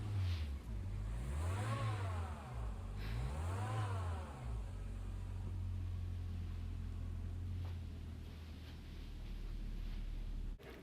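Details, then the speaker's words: Toyota AW11 MR2 after A/C service (new O-rings, drier, expansion valve, flush, oil, ~550 g R134a): on a drive above 2000 rpm with A/C on, a speed-tracking noise appears; not belt-like, owner suspects compressor thrust bearing or, less likely, clutch bearing. "i took it for a drive and realized when i rev the engine or when the engine spins up above 2000 rpm you can hear this when the ac is on"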